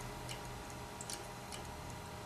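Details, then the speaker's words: Failing hard drive connected via USB2-to-SATA data recovery cable after a power cut, clicking mid-copy: sharp, regular clicks two or three times a second over a low hum, file transfer stops — hard drive click of death. "no it's making the clique of death"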